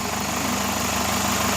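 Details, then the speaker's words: Chevrolet Captiva at idle during a noise comparison, averaging 72 decibels. Smooth, even idle with a steady low hum and no ticking or knocking; a healthy idle after the engine checked out good overall. "Dari noise-nya, suaranya juga apa perlu kita ambilan pembanding suara. Average 72 decibel."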